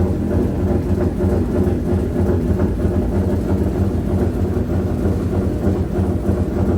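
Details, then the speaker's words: 1JZ-swapped Nissan S13 with new smaller G35 900 turbo and anti-lag, jump-started with a flat battery at the dyno; lumpy idle with a deep stumble about three times a second, dropping a cylinder from a bad injector connector pin. "I think there's some issue, they're just trying to figure it out. So apparently it sounds like it's down a cylinder. That would be why it sounds like a 350Z,"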